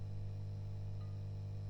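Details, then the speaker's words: Vox AC30 TB Reverb valve amp (Birch Stolec era, 1971–73, about 50 years old) idling with a steady low mains hum from tired, undersized 16 µF filter capacitors that should be about 47 µF; amp also oscillates at higher volume. "right we've got this box plugged in and you can hear it's quite noisy now there's some caps humming"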